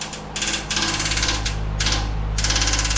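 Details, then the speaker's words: 1959 Westinghouse AM 17-2 pedestal fan, heavily worn motor running on only one speed, during restoration: fan runs with fast irregular ticking, about three to four clicks a second in bursts; blade striking the grill. "yeah, I'll have to figure out what's hitting what. Something's hitting something."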